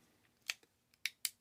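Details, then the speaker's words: Shimano index shifter clicking crisply and freely again after T-9 Boeshield lube poured down the shift cable hole softened old waxy grease that had kept the springs and pawls from moving. "You can already hear it clicking better. So it does is it pours in, it mixes with that old Shimano grease, which is sort of turned to wax, and it's keeping the springs and pawls from moving freely."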